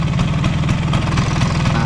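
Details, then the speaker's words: Vespa (silver) with a worn, flared clutch housing not yet replaced, kept as an example of an internal engine problem: steady idle with a loose metallic rattle pulsing about four times a second over the engine note. "itu berarti ada masalah di dalam mesin Vespa kalian masalahnya apa itu macam-macam kayak gitu bisa dari rumah kopling kali yang dialami sama si Bagol silver Mini rumah koplingnya itu udah Mekar"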